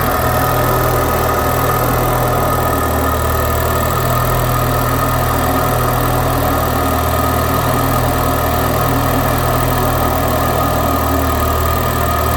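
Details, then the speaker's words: Citroen DS3 just after fitting an upgraded performance induction filter, first cold start: even idle on a steady low note, slightly busy then settling, not lumpy; normal cold start idle. "though it is a cold start see what calms down okay it's calmed down oh it's not running Lumpy and that sounded good"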